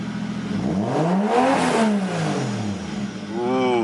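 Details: Nissan 240SX S13 with 1JZ VVTi swap, after reinforced rear subframe and exhaust reinstalled: engine revs cleanly up and down twice, pitch rising and falling smoothly with no knocks or rattles; healthy.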